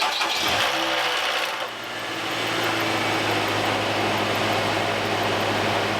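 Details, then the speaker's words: Homestead vehicle just repaired by a mechanic friend, not cranked in a while: it cranks briefly, catches and settles into an even idle with a constant low note, no knocks or misses. Normal smooth idle. "I guess you could tell that hadn't been cranked in a while, but as soon as it did, it's running smooth."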